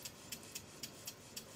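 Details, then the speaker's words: Model Stuart beam engine on compressed air after repair work, running slowly and quietly; slow ticking about four beats a second, unevenly spaced as it hesitates when the crank pin passes over the top, showing valve timing is out. "the valve timing isn't in the right position as you can see by the hesitancy as the crank pin on the crankshaft goes over the top"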